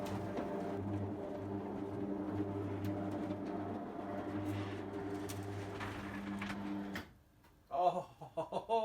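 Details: Electric roller garage door with new Ellard 100Nm motor, replacing a 10-year-old binding, groaning motor: steady low hum, even pitch for about seven seconds, no grinding or jerks, then stops; door drive runs smoothly.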